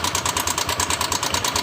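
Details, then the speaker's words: Honda Vario 150 scooter noisy for a week, at idle before teardown: fast, even metallic top-end ticking; mechanic suspects cam chain or valve rocker arms, not confirmed. "Nah, kita starter. Nah, di sini ada suara berisik di bagian mesin."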